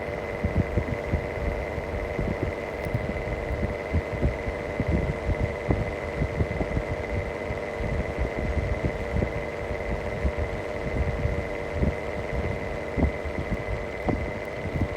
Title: Bad bearing mistral exhaust fan longer video